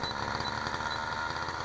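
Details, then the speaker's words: Engine after bearing replacement: smooth, even running hum with no rattle or knock; quiet, normal running. "and this is what it sounds like after the bearing yeah we don't want that not in the driveway ready and here we go notice no more rattling"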